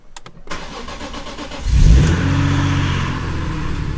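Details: BMW E46 M3 cold start after fixing idling problems, no codes while data logging: a few clicks, quick crank and catch, brief rev flare, smooth even fast cold idle; cylinders reading the same, healthy start.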